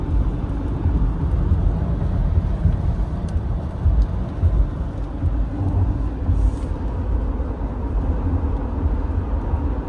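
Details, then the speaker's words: 2014 Acura RDX, 154,000 km, on winter tires, road test at about 60–80 km/h after replacing the center driveshaft for a noisy hanger bearing: steady low road rumble, no whine or drone. Driveline normal. "I have winter tires on right now so there is a little bit of noise but not the loud noise of that Hangar"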